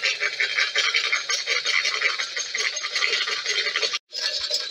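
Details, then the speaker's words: Mk3 horizontal Stirling engine running hot on test: light rhythmic high squeaks, several per second, following the cycle and coming only from the hot side; owner suspects heat softening the new brass piston guides so they grip the steel. "yeah I'm listening to the noise here it's only actually coming from the hot side so I think it's the heat that's causing the brass to get a bit uh findy"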